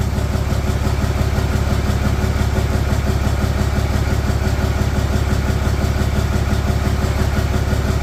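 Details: 4th gen Ram 3500 Cummins diesel, first start after cheap rebuild of HE351VE turbo with assembly lube, VGT actuator left off and needing a scanner to sync; deep, even low rumble, no turbo whistle, knock or scrape; slight oil leak at VGT sensor spot. Normal idle.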